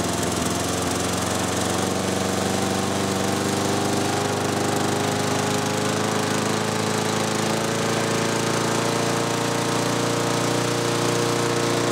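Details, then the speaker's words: 6 hp Briggs & Stratton mower on a Murray deck after the governor rod was bent and the spring shortened: a steady, even, higher-pitched drone with no hunting or surging; running normally at a raised governed speed. "Okay. I hope you could even hear a difference. I think you can. Let's listen to the very first clip of when I started. And now from just a moment ago. Yeah, definitely a change in tone right there."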